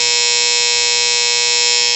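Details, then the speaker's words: Outdoor A/C condenser unit that would not turn on: loud, steady electrical buzz with a harsh high edge from the contactor, packed with dead ants between the points, stopping it from pulling in cleanly. "Okay guys, so yeah, it is the contactor, and I'm gonna tell you what the problem is right away."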